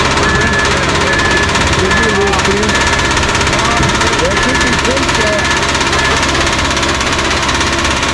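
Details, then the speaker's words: Cummins QSB 4.5L diesel started to unload from a trailer: loud heavy metallic knocking about three times a second over the running note; bad bearing knock, sounds like it's about to throw a rod. "sounds like it's about to throw a rod from what i hear which ain't good"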